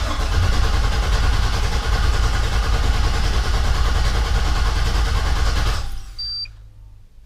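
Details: 1988 Chevrolet Suburban with LS swap, rigged wiring with fuses pulled, first crank to build oil pressure: steady even starter churn about three beats a second for nearly six seconds, no start; healthy cranking, oil pressure achieved.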